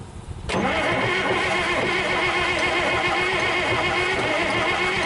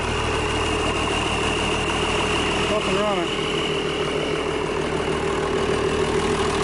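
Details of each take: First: International DT466 diesel with 5-speed, first start in 8 years, rebuilt injector pump, new turbo, bled fuel, primary fuel line leak: cranks with rough uneven churn and sputter, never runs. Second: International DT466 diesel, first start in 8 years after freeing a stuck fuel shutoff; steady, even idle with a smooth, unchanging beat and no misses or knocks, running cleanly.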